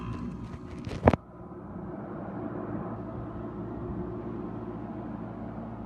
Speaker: cool the compressor has engaged and is in active cooling mode you hear it buzzing that is high speed making its noise